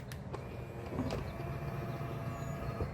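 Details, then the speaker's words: 2021 Ford Mustang Mach-E, nearly 3 years old and near the end of its warranty: the power-folding side mirror motor gives a low drone with faint stuttering clicks, jittering unevenly while folding closed, worse than when opening; not like this when new. "So it's making that weird sound as it's actuating close there. So let's do open one more time. And so, yeah, that just doesn't seem right to me."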